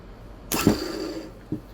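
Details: Boat's Westerbeke generator that only clicked: starter motor energised directly gives a short whirring spin that winds up and coasts down, smooth with no grinding; starter healthy.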